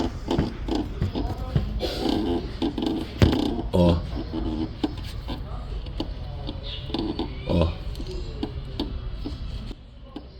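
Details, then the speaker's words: Peugeot 307 stabilizer link removed and worked by hand: uneven groaning creaks from the seized upper ball joint and dull knocks from the loose lower joint, the source of the suspension noise. "em cima ela tá travando e aqui embaixo tá bem folgado Então ela tem um barulho de batida e esse barulho de rangendo que é lá em cima"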